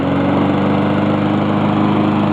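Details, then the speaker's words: Honda lawn mower after reassembly, running outside before a smart drive test: steady, even single-cylinder beat with no knocks or misses; a lot better than before. "A lot better than it was before."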